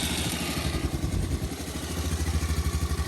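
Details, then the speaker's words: Chinese GY6 cranking after loose spark plug was tightened, compression first doubted: rapid even starter chugging about ten beats a second against compression; cranking now healthy. "plug was a little loose boys she got compression"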